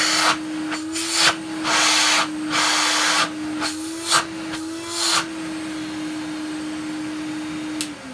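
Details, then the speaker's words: Numatic NV250 vacuum cleaner, unboxed, first run after a cloud of dust from the side: steady mid-pitched motor hum with rough bursts of air noise, relatively quiet; owner suspects dry motor bearings. "now that doesn't sound too bad I know it sounds rough but that to me sounds like the motor bearings are dry but apart from that is relatively quiet which I'm really surprised about"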